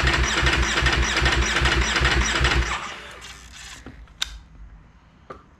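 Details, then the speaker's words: 2019 Ducati Panigale V4 S cold start after sitting about a week: steady starter churning about two and a half beats a second for three seconds, stops without catching; cold hard-start issue, cause never found, avoided by keeping it on a battery charger. "all right we're gonna see if the bike does the cold start hard start issue uh last couple times i started wasn't doing it so let's see if it does it again"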